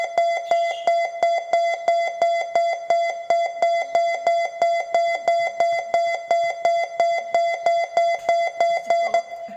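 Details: Mitsubishi Grandis stopped with gear selector not in Park: mid-pitched chime repeating about three times a second continuously until shifted to P; normal warning.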